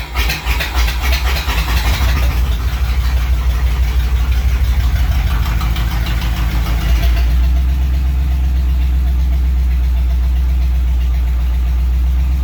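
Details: 1938 Ford first start: an uneven loping idle of about three pulses a second with stumbles, a misfire, cause unconfirmed.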